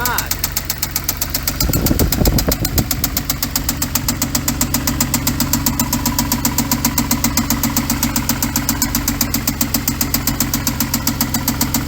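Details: 2014 Hyundai Genesis Coupe 3.8L GDI DOHC V6, automatic, 84,821 miles, parts car; steady sharp knocking about four per second over a rough idle, deep internal knock; engine knock, engine done.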